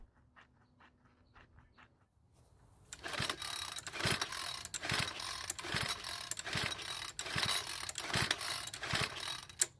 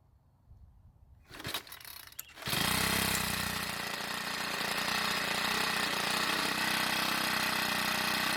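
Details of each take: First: Troy-Bilt 4-cycle edger with a failed fuel return line, primed with the bulb: quiet ticking, then about one rough pull per second with no firing; cranks but won't start. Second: Troy-Bilt 4-cycle edger, hard to start, started after priming gasoline through the air inlet: a few pulls, then it catches and settles into a smooth, even, buzzy run; runs normally, valve clearances suspected for hard starting.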